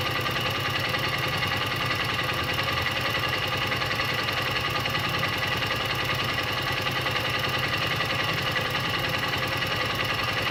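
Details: Honda XR 150 L motorcycle at steady idle with a fast, fairly even ticking on top, roughly three or four a second; abnormal engine noise of unknown cause.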